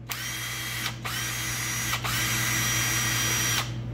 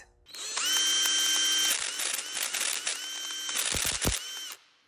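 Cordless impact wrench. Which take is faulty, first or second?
second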